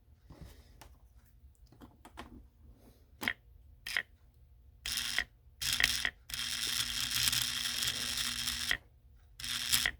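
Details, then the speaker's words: Washing-machine water inlet valve solenoid rated 120 V AC, fed 120 V AC: a click, then a loud, harsh, steady buzz for a few seconds while energized. Awfully loud. "hear that going at the end that's an awful loud solenoid but the job this solenoid is doing this came out of a washing machine"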